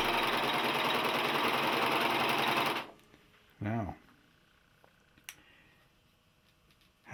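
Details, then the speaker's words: Singer 14J250 Stylist 4-thread serger, new out of the box and not yet lubricated, chaining off on a vibrating assembled table: a fast, even, buzzy whirr for about three seconds with no clunk, then it stops. The earlier clunking has stopped. "you noticed stopped clunking so maybe it maybe couple of feet are running"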